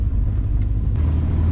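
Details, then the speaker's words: LS1 V8-swapped Nissan Patrol cruising in fourth gear after the exhaust leak was fixed: deep, even rumble with no puffing or ticking. Normal sealed exhaust; only a belt squeal remains. "it is so quiet it's almost like driving a standard ss with a belt squeal"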